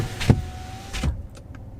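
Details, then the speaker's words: Chevy Colorado ZR2 while driving: repeating whoosh-thump about every 0.8 seconds under road rumble, keeping pace with road speed; owner suspects CV/axle boot or tire rubbing or something stuck in the tire, unconfirmed. "maybe the axle boot maybe the cv boot or the tire rubbing on something because it's maybe just something stuck in the tire but it's a noise like that that's consistent that keeps that goes with the speed of the car"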